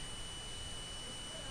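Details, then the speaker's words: Umax Chinese smartphone, dead with power supply dropping to zero when connected: steady faint high-pitched multimeter continuity beep on the board, indicating a dead short. "Beep শুনতে পাচ্ছেন নিশ্চয়ই এটি শর্টের beep"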